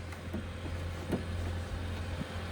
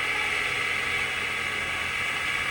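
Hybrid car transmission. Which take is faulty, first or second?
second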